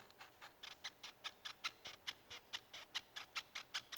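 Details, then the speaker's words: 2012 Toyota RAV4, right front non-original strut mount with delaminated rubber, worked by hand: quick high rubbery squeaks several times a second, causing front suspension squeak. "в итоге rav4 выявлена неисправность опора амортизатора справа это причина скрипа сейчас попробую симулировать неисправность"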